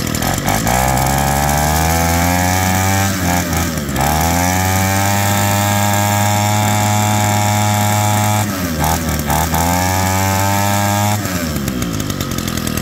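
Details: Roadside-found two-stroke hedge trimmer that had crusty fuel lines and a disintegrating air filter: buzzes cleanly, revs up and settles back to a steady idle twice with no stumbling; runs healthy.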